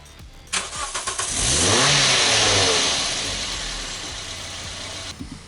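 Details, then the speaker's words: 1974 SEAT 127, stored since the 1990s, first crank with fuel bottle fitted: starter works and spins the engine steadily with a whir but it never catches; fuel pump appears dead as the bottle stayed empty, pump to be replaced. "Le démarreur fonctionne. Bien. La pompe à essence ne semble pas fonctionner car la bouteille est vide. La pompe devra être changée."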